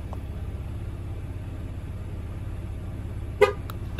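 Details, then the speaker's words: 2012-or-newer GM/Chevy (Impala) with engine idling: horn gives one short chirp confirming the TPMS relearn tool was held at the right rear tire sensor and the car learned it; two beeps follow after the last (left rear) sensor. "hear the car beep again and then we're going to go do the other side which is the left rear and after this one you'll hear two beeps and that's when you know you're done and the car has learned all the sensors"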